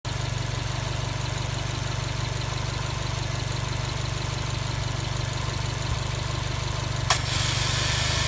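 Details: Subaru Impreza STI (GRB) at idle; steady idle with a pulsing, slightly rough hum about three beats a second, attributed to an abnormal A/C compressor noise. Cause suspected, not confirmed.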